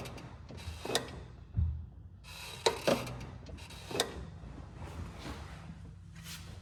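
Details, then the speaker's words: 2008 BMW 328i E90, engine off: the clutch pedal feels too light, then a few sharp irregular clicks and a creak come in the final 20% of travel, both before and after slave cylinder replacement and bleeding; cause unclear. "Now, the way that the pedal is light going down and then at the end it sort of has this weird clickiness or um you know at the end of the travel it's a bit strange um unusual you know it's not the normal smooth travel that you'd expect"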